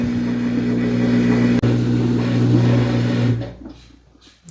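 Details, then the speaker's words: Samsung WA50R5200 top-load washer test-run on spin setting after suspension rods replacement: an even low pump drone during the drain cycle with no thumping or banging, then it winds down quietly before spinning; normal drain and spin. "And it'll go through, right there, it's a drain cycle. It'll do that 2 or 3 times before it spins. It'll spin 2 or 3 times before it reaches its max spin."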